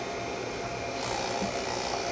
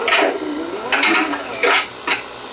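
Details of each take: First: 1965 Sony-made GE-badged CV2000 half-inch reel-to-reel black-and-white video recorder, drum switched on: steady smooth high whir with faint constant tone, no scraping; drum and capstan spinning normally, belts good. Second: 1965 Sony CV2000 (GE-badged) reel-to-reel video recorder playing a 1960s home-video tape: stuttering high-pitched squeals and chirps in bursts as tape stalls; sticky-shed tape dragging on the tape guide and sticking everywhere.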